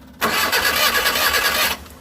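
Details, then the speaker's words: Suzuki T120SS car broke down suddenly: steady starter whirr cranks about a second and a half, never fires; spark plug shows no spark; crank no start, no spark. "hop tidak keluar api bro hal ini setelah kita cek ternyata busi tidak ada pengapiannya"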